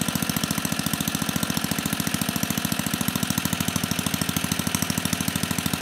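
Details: 34-year-old Tecumseh H30-35387Y on a Troy-Bilt Tuffy tiller 12060, previously no compression, running on a clone carburetor needing tuning: quick regular single-cylinder thump at fast idle, firing every stroke; runs steadily.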